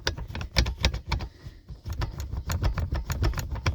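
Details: 2013 Honda Civic 9th generation front seat creaking when weight is put on the lumbar area of the backrest: sharp uneven creaks and clicks from a broken lumbar tension rod; common on all 9th-gen Civics, both front seats.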